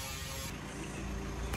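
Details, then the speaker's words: Mitsubishi L300 after replacing crushed compressor clutch shaft bearing (6006-type) that made noise with AC on: steady even engine idle with AC compressor engaged, no grinding; compressor healthy, cooling good. "napaandar na po natin at maayos na maayos po ang kanyang lamig. So ang compressor nito mga boss ayos pa."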